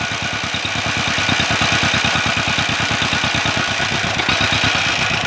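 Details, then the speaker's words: 1949 John Deere MT two-cylinder tractor with a valve job and new carburetor, running poorly. Slow, even popping with a steady hiss at the intake manifold gasket; spraying brake clean there makes it run better, pointing to an intake vacuum leak. "but I'm hearing a little hissing come around this intake gasket I got some brake clean here Oh starts running better"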